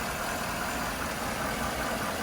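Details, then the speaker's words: 2013 Chevy Silverado 1500 V8 (oil pressure issues), fresh oil change about 200 miles ago, nearly at operating temperature, idling before adding oil additive: smooth even hum, no odd noises or vibrations; normal idle. "I mean, there's no odd noises or vibrations or anything like that. It's a nice and smooth running engine, plenty of power."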